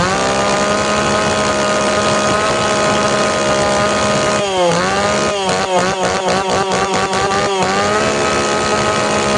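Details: Tanaka PowerMate PMS340 pruning saw that wouldn't rev because of a failed fuel system, tested cold after repair. A high, steady two-stroke idle, then several quick throttle blips that climb and drop back cleanly. Normal running and revving.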